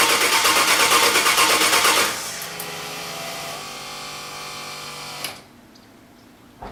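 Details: Quick, even cranking for two seconds that stops without a single firing; owner thinks he hears the fuel pump after reconnecting a loose wire, but air puffs out at the fuel check, so owner thinks air in the fuel line keeps fuel from reaching the engine.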